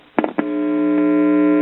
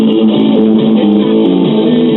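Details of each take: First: Circa 1974 GE all-in-one stereo with a dead left channel: touch clicks, then a loud steady hum injected past the volume control that holds level regardless of volume; this stage passes signal, so the fault likely lies between the volume control and this point. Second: Circa 1974 GE all-in-one stereo (AM/FM radio, 8-track) with dead left channel, after replacing capacitors with original-type polarized electrolytics: radio music plays full and steady, no hum, crackle or dropouts; normal playback.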